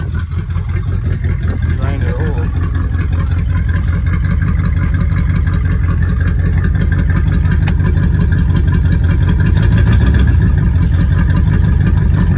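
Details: 1986 Cutlass V8 with a rebuilt Rochester Quadrajet 4-barrel, still cold: steady idle slightly raised on choke, no stumbling or misses, settling smoothly; choke working properly.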